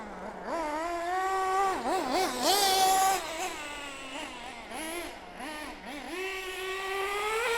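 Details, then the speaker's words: Mugen MBX6T nitro truggy, judged "a bit coked up." The scream rises and dips with throttle, then climbs cleanly to a sustained full-throttle wail in the power band. Normal full-throttle running. "Oh yes, there it was, power band. Full throttle, yeah. Just a little bit coked up, wasn't it? That's all it was, a little bit coked up. Now we're flying, baby."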